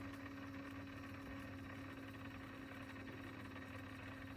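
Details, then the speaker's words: Sony TC-K777 cassette deck, restored (failed transistor replaced, reel motor adjustment fixed per service manual): fast forward at proper speed, steady even whirring with faint low rumble, slight bumping from loose plastic reel pieces; normal. "You see, it bumps up and down a little bit, because those plastic pieces, they are sit tight, but they are not fixed on top of the reels."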